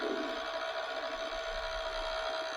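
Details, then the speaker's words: ThinkPad Twist laptop with third-gen Core i5, grimy used unit at power-up: cooling fan whirs with a thin whine and rough, hissy edge; worn fan bearings or debris suspected. "oh there's the fan I don't know if you can hear it those bearings do not sound"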